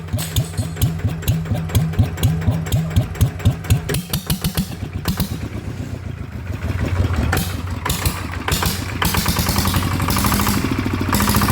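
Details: ET95 single-cylinder diesel upgraded to 120, new spring and performance intake/exhaust capsule muffler fitted, first start after rebuild: catches and settles into an even, steady thump about two beats a second, no knocks; normal idle.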